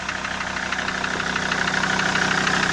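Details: SsangYong Rexton 2.7 diesel idling with a steady, fast tapping knock over the clatter at an even rate; knock vanished when injector connectors were unplugged, so a shop blamed the injectors, but the owner doubts it; origin unconfirmed.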